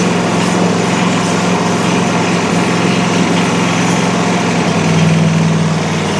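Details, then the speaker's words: Country Clipper Challenger 52-inch zero-turn mower that would not turn over, found about half a quart low on oil, started after boosting the battery and using carb cleaner: it runs with a smooth, even buzz and sounds surprisingly healthy. "It actually very surprisingly did not sound bad once we got this thing running."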